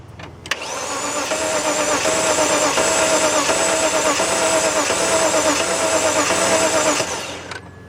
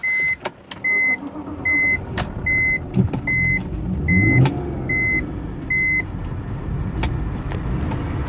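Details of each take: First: 2004 BMW 325i that cranks but won't start: the starter spins fast and light for about six seconds with only a faint pop from one cylinder. It sounds like no compression; the owner plans to pull the coils and plugs to restore compression. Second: 2004 BMW 325i after restoring compression, restarted: engine settles into steady idle under a chime beeping about once a second, running evenly while burning off oil with heavy exhaust smoke.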